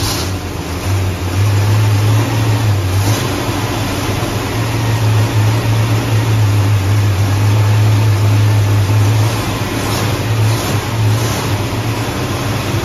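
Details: Carbureted V8 Ford Mustang at first-start session, restarted with the idle turned up after rough starts; the cause found was an air leak under a 1-inch carb spacer with the wrong gasket: deep, steady rumble, even beat, gentle rev swells, no hiss or hunting; normal running.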